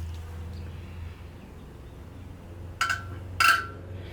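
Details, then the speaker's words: 1964 Ford 4000 diesel injector nozzle on a pressure tester: two short sharp spray bursts with a springy chirp, a proper pop at 2700 psi (spec 2750 ±50). This injector only works part of the time; it later stopped. "Now you hear how that one kind of had like a springy type sound. That's more of what we're looking for."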